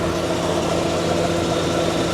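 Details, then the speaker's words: 1989 Maserati Chrysler TC turbo that had likely sat for a while, warmed up, hood open: steady, even, quiet idle hum with no knocks, misses or ticks, and good cooling pressure. "nice and quiet ooh she's a little War good pressure on the cooling"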